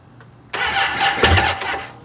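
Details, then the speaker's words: Motorcycle with a low battery that cranked too slowly to fire, now jump-started with a Duracell DRLJS20 jump starter: brisk, even, strong cranking that quickly picks up and starts the bike without any problem. "Oh yeah, that sounds better. Opa! So as you can see, it did start off, it did start the bike without really any problem at all, and it worked out great."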